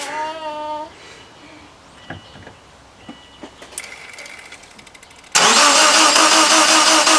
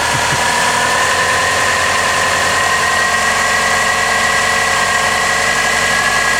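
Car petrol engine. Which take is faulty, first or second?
first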